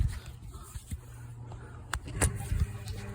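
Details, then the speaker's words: Venco No. 5 compact pottery wheel after grommet replacement and motor repositioning: low, steady motor hum with no grinding or bearing noise, running up to full speed. "right motor sounds good there's no no bearing noise there"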